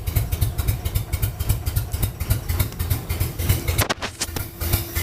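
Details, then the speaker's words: LS-swapped 1965 Chevrolet C-10 with drive-by-wire throttle, in winter: deep, slightly lumpy V8 rumble with throttle blips, then settles. Normal running. "what do you know? It runs. Pretty damn cool."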